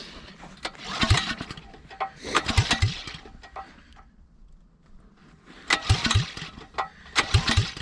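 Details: Honda GX270 9HP engine swapped into old Suzuki LT185 frame, open pipe, switch and choke on, first start attempts, likely needs priming: four pull-start attempts, each short compression chuffs dying without firing; cranks but won't start.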